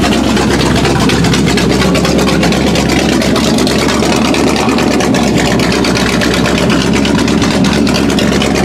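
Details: 1979 Chevy K20 straight-piped V8 on a supposedly rebuilt, never-tested used carburetor: loud, ragged, stumbling idle; fuel line possibly leaking, timing suspected off, flooding with fuel.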